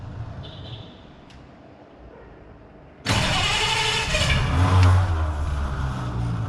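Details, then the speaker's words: 1933 Hudson Terraplane six: quiet pause, then catches cleanly, blips up and settles to an even, quiet idle with no tick or rattle, only fan belt heard; starts and runs fine. "beautiful it's just there's not a a tick a rattle or anything I think you can just hear the fan belt going around"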